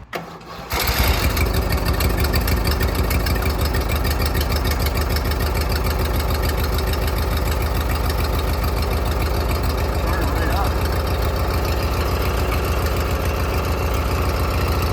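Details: Briggs & Stratton 16.5 hp twin riding mower, after fuel shutoff valve fitted (carburetor suspected of flooding gas into oil), fresh oil, charged battery: quick crank, catches and settles into steady even low idle, no misses.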